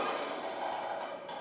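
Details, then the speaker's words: Balanced Body Cadillac push-through bar moving: dry mid-pitched creak from worn inside surfaces of the eye bolt, not the spring; fix by replacing the eye bolt or switching to an unused one, or silicone spray temporarily. "get warm down so can you hear that creaking noise that's not the spring that's actually the eye bolt and the inside surfaces have been worn down"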